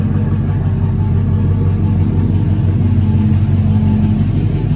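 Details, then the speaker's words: Cadillac Escalade rebuilt 6.0 LQ9 V8 with dished pistons, ported 862 heads, 10.5:1 compression, LS6 cam, first run idling lean; deep steady rumble, slight cam lope, no misses or knocks; sounds good, normal idle. "that sounds good no trouble to hear that cam it's not a big cam but it does sound good"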